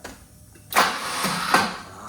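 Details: BMW E30 318i manual: a few slow heavy starter whirs about half a second apart, no catch, after an earlier backfire; air flow meter was not yet connected; cranks but no start, cause unconfirmed.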